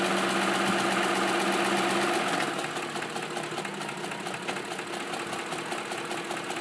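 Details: 2005 Ford F150 SuperCrew 4x4 5.4 V8 at 126k miles, cams replaced at 88k, idling with steady light top-end ticking about four per second; burns a quart of oil every 4k, no power loss; owner suspects cam phasers.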